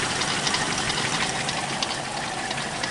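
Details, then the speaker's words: 1991 Toyota Kijang idling with AC on: even, steady idle with a busy top-end hiss under the AC load, no clear knock; engine running smoothly. "Kita hidupkan AC. Nih mesin halus, AC-nya juga masih aktif ya."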